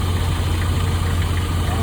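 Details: 1995 Nissan truck 2.4L four-cylinder at idle with a faint light ticking from a noisy valve lifter. Lifter tapping then stops about 2 seconds after the oil treatment is added, 1 ml and then 4 ml.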